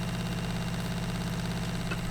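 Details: VW LT35 camper van water pump, after setting the drain button closed, pressurizing the new plumbing: steady low hum, no stutter or surging; pump running normally while checking for leaks.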